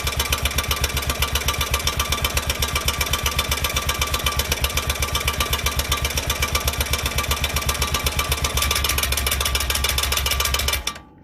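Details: 2004 Honda Rincon 650 ATV, 1000 miles, lightly used: fast, even clatter of about four ticks a second over idle until shutoff, worse on cold mornings and no longer fading when hot; the owner suspects the exhaust header. The source is still unknown.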